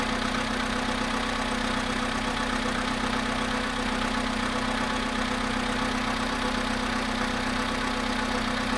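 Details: VW Polo Sedan engine, cold start at 0.5 degrees after sitting 13 hours: steady hum with faint regular tapping about two to three a second; knock present, source not confirmed.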